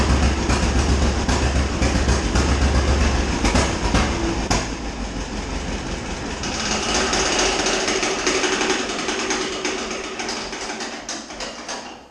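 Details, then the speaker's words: Old tractor running during winterizing, carburetor drained: fast, fairly even ticking and slapping about three or four a second from the fan blade hitting the radiator shroud, not yet fixed. "that noise was just the fan hitting the radiator shroud a little bit have yet to fix that I will after this video"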